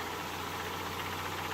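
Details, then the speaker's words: Mercedes 190E 2.0 natural-gas conversion, warmed up running on petrol: steady, even smooth idle with no misses, knocks or surges; runs better the more it's driven; rough idle occurs on natural gas. "guys can hear smooth as ever on petrol it actually gets better the more I Drive it"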